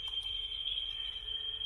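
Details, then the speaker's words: Vintage Mayfair tape recorder playing a test tone, measured through a microphone at 4% then 1% sensitivity: about 0.34% RMS, 0.7% peak, far better than the Brownie. The tone holds pitch with only faint waver; low flutter. "uh 0.3.4 percent rms and 0.7 peak significantly better than the brownie the mayfair is uh doing a pretty good job"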